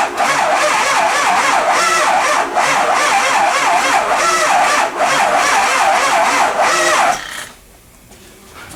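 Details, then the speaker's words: Early 2004 Ford Excursion 6.0 Powerstroke diesel, sat a while, no start, fresh battery: fast rhythmic starter whirr that sags every couple of seconds, no catch; uneven cranking suggests a dead cylinder or blown head gasket, suspected. "often times it'll you'll want it to sound smooth when it's cranking over otherwise if it's got a dip or a changeing RPM it might have a dead cylinder or a blown blown head gasket"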